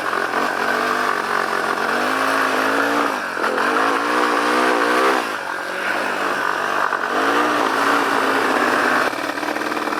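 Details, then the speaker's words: Yamaha Warrior 350 quad with faulty safety wiring: single-cylinder revs rise then repeatedly fall back and stall, never past low revs; rev limiting, parking brake or clutch switch suspected. "When the parking brake is on, it limits the revs, so it won't go fast."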